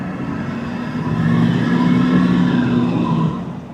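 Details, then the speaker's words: GMT800 truck (Hummer H2 SUT, Avalanche 2500 or Escalade EXT) driving under load: thin, wavering squeal like a cat screaming over the engine, fading as it eases off; source unknown, no dash warning lights. "There's a weird noise. I hope you guys could hear that. It sounds like a Sounds like a cat screaming or something."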